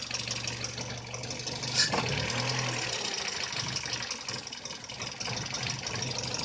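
Quiet idle with an uneven, stumbling beat and no steady rhythm; the engine idles roughly, cause not yet found.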